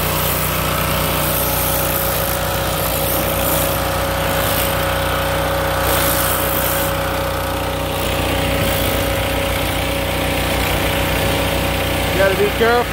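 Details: Kohler SH265 6.5 HP single-cylinder engine, bought used, repowering a pressure washer in place of a weak Honda, on test; strong even roar held steady throughout, no surging or misses. Normal running under load.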